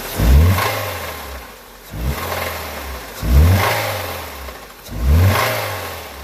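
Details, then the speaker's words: 2002 Honda Civic D17A 1.7L, blipped four times after losing power and getting louder on cruise: deep knock from the bottom end on each rev; rod bearing failure, valve train considered unlikely. "um i guess it could be the valve train but i don't think so it's definitely the sounds coming from underneath the bottom"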